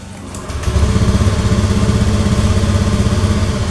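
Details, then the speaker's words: Honda Beat FI (digital) scooter with intermittent hard starting and stalling, restarted with the side-stand switch bypassed: it catches after a short crank and settles into an even, steady idle that holds without stalling. "nyala tidak mati sekali lagi"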